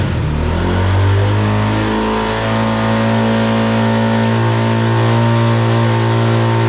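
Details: ATV (neighbor's bike) after carburetor repair: fuel was leaking, float suspected stuck, carb drained and fixed, slight throttle adjustment made; engine revs up cleanly then holds a steady, even run with no misses or knocks, running better than ever.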